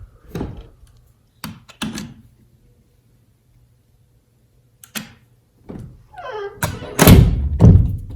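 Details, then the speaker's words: Interior house door shutting after the strike tongue was adjusted out with a screwdriver: a few solid clean thunks with no trailing rattle. The latch now seats snugly and the rattle is fixed. "That is far better than what it was, and you can tell how easy that is."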